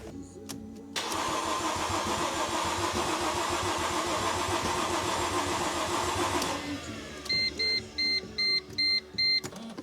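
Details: 2005 Mercedes SLK350, intermittent no-start, during spark test with plug tester: starter spins engine about five seconds with steady whir, never fires, then short beeps; spark present, owner suspects timing (balance shaft sprockets) or installed starter.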